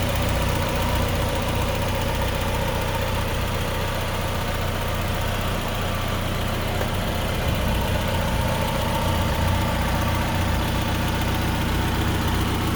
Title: idle with no lifter tick 6 25 25